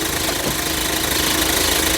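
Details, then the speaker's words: JAC J6 in the engine bay at idle after clutch replacement (it had been screaming); pedal pressed and fork actuating give an even idle with a busy hiss and no squeal, so the clutch and release now sound normal. "A embreagem aí ficou 100%. E a troca de marcha, como que ficou? Trocando suave?"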